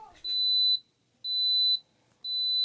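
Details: Coleman SaluSpa control unit with heater pressed: three long high beeps about a second apart in a quiet room; E02 flow error, shown when the magnetic flow sensor's two magnets aren't touching.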